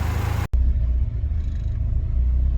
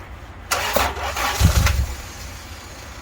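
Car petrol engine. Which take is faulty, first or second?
second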